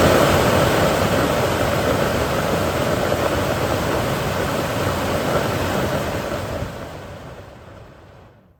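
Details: BMW 3 Series F30/F31 cabin A/C blower fan, ten years without maintenance, test-run after washing and before reinstalling: smooth even rush of air spinning down gradually, no rubbing or ticking; fan runs clean and quiet.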